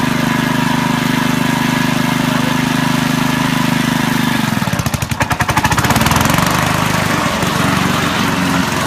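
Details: Honda HRD535 lawnmower after repair of gearbox/roller drive problems, single-cylinder engine running at a steady even beat, then a loud rapid chatter as the drive engages; everything works satisfactorily, normal running.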